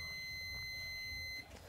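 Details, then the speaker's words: A multimeter in continuity mode gives a steady high beep for about a second and a half in both directions across an output-section diode of a dead 32-inch Clarion LED TV power board, showing the diode is shorted. "देखो, दोनों तरफ से beep की आवाज आ रही है। इसका मतलब है कि यह भी चला गया।"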